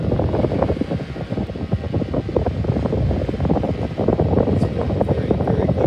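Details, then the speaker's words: 1956 Zero Fan 1250R after repair, cleaning and pitching all four blades outward: steady rushing air buffeting the mic over an even motor, with no ticking, rubbing or wobble. Quieter than before repair; running smooth. "Now, if you saw my previous video, in your opinion, do you think this sounds a lot better now than it originally did?"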